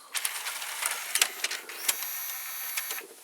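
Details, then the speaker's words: Panasonic SA-HT820V 5-disc DVD changer, ejecting discs 5 and 4: quiet clicks and short whirring bursts as the motor shifts the disc stack position, with no grinding; the changer works normally. "Ejecting this 5, and now ejecting the disc 4. Yeah, you can hear the motor changing position."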